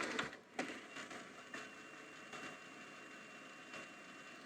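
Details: National/Panasonic NV-730 VHS VCR after repair, clicking noise gone, final test: quiet steady high whir with light mechanism clicks on fast forward, no rubbing or squeal; winding smoothly.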